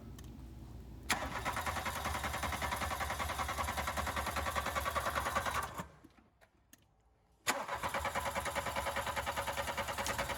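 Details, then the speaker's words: VW Golf Mk2 GTI barn find, off the road for 9 years, with timing set and spark confirmed: the starter cranks evenly at about 200 beats a minute, pauses, cranks again and never catches. "the timing is right and we've got a spark but the engines still not starting so as it's a GTI there's two fuel pumps on this thing so we're gonna check to see if both those pumps are working to get fuel to the engine"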